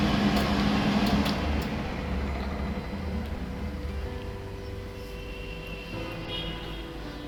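A steady, even fan whoosh with a faint low hum and no rubbing or rattling; the hood fan is running properly.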